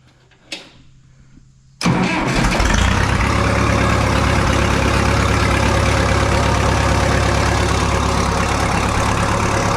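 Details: 1967 Minneapolis Moline U302 diesel tractor after thermostat replacement and coolant refill, started in neutral with a little fuel on a different battery: quiet, then catches at once and settles into steady, even idle, no knocks or misses; normal start.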